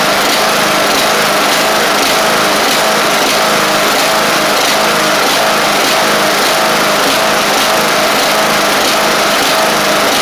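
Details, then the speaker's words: Craftsman LT1000 Briggs Intek mower on a cheap replacement carb with jets too small for the Intek: a buzzy, uneven run at no load, pitch wavering and hunting, running like crap. The jet needs drilling out a thousandth. "now awesome know it runs like crap I do have to drill that jet out a thousandth or so on that carb"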